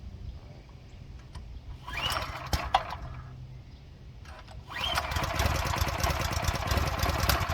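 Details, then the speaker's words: Go-kart engine on its first start after oil is added, having possibly been run without oil; it has compression. It fires after a short crank and settles into an even, rapid beat with no knocking, so it sounds healthy. "that doesn't sound [Applause] bad"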